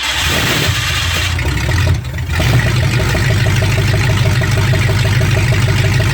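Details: 1965 Ford Mustang fastback, 289 V8 with Tri-Y headers, first start after 44 years sitting, cold day, points set: catches after cranking and settles into steady lumpy V8 idle, no knocking; running fine, carburetor drips and needs rebuild.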